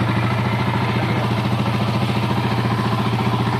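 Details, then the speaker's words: 2008 TMX155 CDI single-cylinder after rebuild with new original conrod, bearings, timing parts and clutch lining: even steady thump at idle, earlier internal saw-like knocking gone. "Yan po napakagandang andar nawala na po ung yung kalino sa loob Yung may parang lagare pumupukpok Okay wala na po"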